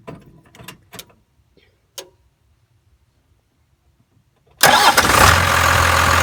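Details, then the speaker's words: 1992 Dodge D350 12-valve Cummins diesel started after changing the fuel/water separator filter and priming the lift pump: keys jingle, it catches promptly and settles into a steady even idle clatter; healthy, checking for leaks. "Okay, now that everything's buttoned up, just start the truck and make sure it's not leaking anything."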